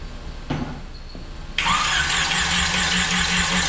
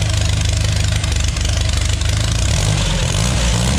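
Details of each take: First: Mini rail dragster with GM 3.0 engine, TH400 and carburetors, first start attempt: starter spins engine at steady even beat with good oil pressure but it never fires; owner suspects bad fuel pump, plans gas down the carburetors. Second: Custom mini rail dragster with 3.0L GM (Chevy) engine and TH400, carbs need smaller jets; first start fires right up and idles a bit too high, runs evenly; a clicking once mistaken for valve noise was the alternator fan touching the water pump pulley.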